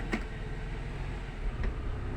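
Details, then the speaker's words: Nissan X-Trail T30 automatic after repair for harsh clunk engaging reverse, test: steady low engine hum as selector goes into D, only a soft muted thump, no clunk; smooth, normal drive engagement. "Nah, alhamdulillah posisi D smooth. Kita masukkan ke posisi R. Nah, sudah tidak ada suara dak seperti tadi ya, masuknya langsung jut seperti masuk D."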